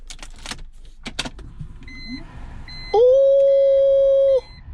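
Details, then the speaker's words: BMW E46 wagon with the engine off: after a few clanks, the cabin blower motor spins up into a steady, even hum, running normally. "blower works let's go"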